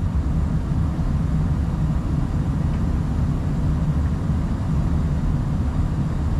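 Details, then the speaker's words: Furnace after replacing a gas valve found leaking with a detector, exhaust pipe refitted: burner fires right up with steady deep roar, no surging, popping or flutter, while gas pressure adjusted from 3.94; normal burner operation. "let me turn this on heat she goes she fires right up"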